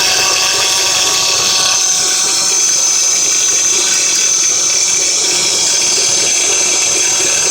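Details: Acura TL with engine running: steady high-pitched whine from the pulley area at front of engine; owner unsure whether the power steering pump pulley or another pulley is the source.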